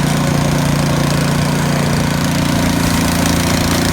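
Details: YardWorks 22-inch 179cc snow thrower after auger belt replacement, blowing snow with throttle up and the auger engaged: a steady, even small-engine drone with no knock or belt squeal. It runs smoothly under load.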